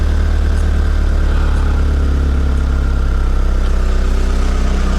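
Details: Mitsubishi Lancer CE engine after reassembly with coils pulled and refitted, idling after a failed first start attempt; strong, low, even idle rumble with steady beat and no misfire stumble, now sounding much better, a normal smooth idle.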